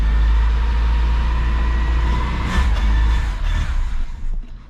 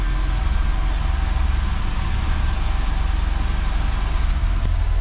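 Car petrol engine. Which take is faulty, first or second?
first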